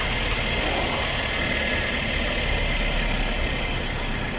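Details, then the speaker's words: Suzuki APV after replacing one dead ignition coil (no electrical supply) with a new original Suzuki coil: even, steady idle with smooth beat, no misses or shake; engine vibration gone. "now after after installing the coil let's start the [Music] car and take the supp it's good my engine viers is gone"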